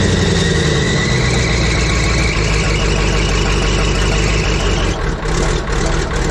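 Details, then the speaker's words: Abandoned Clark wheel loader being revived, cold engine; runs rough and uneven with revs sagging and surging despite near-redline throttle, then stumbles and dies; owner says it didn't run out of fluid; stalling when cold. "oh she died out what the heck you know you really just hate to redline a cold motor like that but it sounds like that's what she wants"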